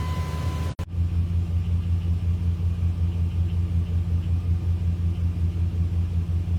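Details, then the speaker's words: 2001 Dodge Dakota quad cab AWD, 151,291 miles, idling right after replacing a failed Interstate battery with a new size 27 Walmart Everlast battery: smooth, even low rumble with steady pulsing and no knocks or misses; normal healthy idle. "So, it's running nicely."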